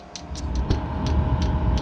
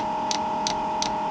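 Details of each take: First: Chinese diesel heater in ice shack on restart after priming, fuel reaching the motor: pump ticking about four a second under a swelling low rumble as it starts to growl and lights normally. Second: Newly installed Chinese diesel heater in an ice shack, first start with fresh fuel tank and lines: dosing pump ticking about three a second over steady hum while priming a line with no fuel yet.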